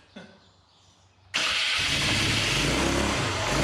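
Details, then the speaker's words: Polaris 300 Sportsman/Hawkeye rebuilt single-cylinder engine, first start with choke; harsh raspy hissing exhaust, muffler blocked with no flow, exhaust escaping at joint. "The exhaust, the muffler is blocked. It sounds from my hand there is like no flow coming out of there. That's why it's all trying to bust out past this joint."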